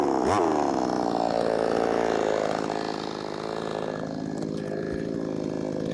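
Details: Brand-new, unbroken-in Wemars 6220 clone two-stroke chainsaw on shakedown run: high revs dip in pitch as the chain bites wood, then recover smoothly, pulling strongly with no misfire; normal running under cutting load.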